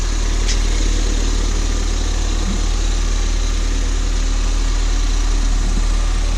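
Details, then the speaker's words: Ford Fiesta ST after crash repair, warmed to temperature, listened from outside: steady, smooth low hum with even firing beat, no knocks or ticks; healthy warm idle. "That to me purrs like a kitten. It sounds beautiful."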